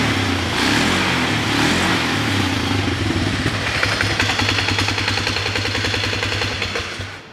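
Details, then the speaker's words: Polaris Sportsman 500 with CV carb that bogged with the stock airbox, now fitted with an early-2000s snorkel airbox: smooth, steady single-cylinder thumping with some clutch clatter from a worn clutch; runs excellent. "runs excellent now it's a sticker a couple burnouts in the parking lot there"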